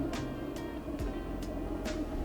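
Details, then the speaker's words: Underslung Autoterm 2D 2 kW diesel heater on a VW Transporter, set to 30 (maximum output) and pumping hot air: steady fan rush with a crisp fuel-pump tick about twice a second, evenly spaced; running normally at full output. "That is now pumping out hot air. It's set to 30, which is effectively full whack, isn't it?"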